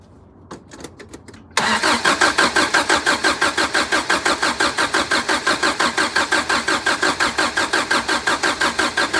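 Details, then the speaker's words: 1983 Toyota Hilux after draining rotten near-black fuel, refilling fresh fuel and reconnecting lines to the mechanical fuel pump, sat about a week: a few hesitant clicks, then steady cranking at about three beats a second, catching at the end. "just uh crank it over and see if it starts and let it run let it idle for a few seconds"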